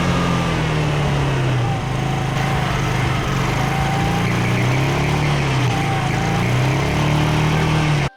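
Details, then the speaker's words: Yamaha Riva 125 single-cylinder scooter running on a Yamaha Vino carburetor after wiring fixes: steady buzz with revs drifting gently, no misses or cutting out; runs fine, but charging only about 11.6 V at mid throttle. "There you guys have it, man. This thing runs."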